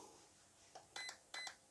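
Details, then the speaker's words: RC car ESC programmed by button, no program card, setting cutoff voltage; a short chirp, then three crisp evenly spaced high beeps confirming value three, heading to four (3.0 volts per cell). ESC programming value, three beeps. "and that brings it to three beeps press it again okay that brings us to four beeps"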